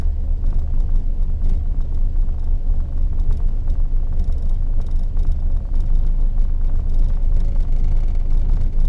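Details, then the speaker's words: 1974 Valiant cold start after sitting since August 2020 in freezing weather, hard to start, owner suspects fuel starvation: deep uneven rumble surging and sagging, rattling and nearly stalling, a rough idle. "oh there we go good rattle struggling oh whoa it's gonna stall"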